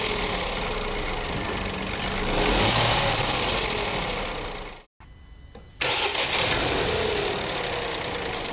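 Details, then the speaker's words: Renault/Dacia TCe 1.0 (H4D) turbo petrol at idle after ECU reprogramming: fast tinny metallic ratchet from worn, loose turbo wastegate rod is much reduced, almost gone; turbo replacement needed if play is excessive. Turbo wastegate rod rattle. "Podemos oír que el ruido metálico de Carracas se reduce notablemente y casi desaparece."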